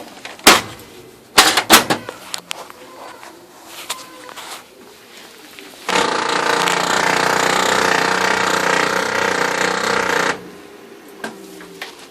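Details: Harsh grinding from the paper drive of a new replacement OKI Data MB480 printer, a few clicks then about four seconds of continuous grinding that stops abruptly; it shows errors and jams with all safeguards off and no obstruction.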